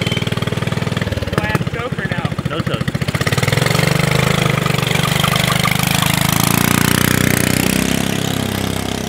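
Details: Subaru Robin 9hp single in a Yerf Dog go-kart after swapping the 22mm for a 26mm Mikuni carburetor, on a test drive: idle thumps rise into a smooth, steady drone pulling away. Normal running; the lean condition is fixed.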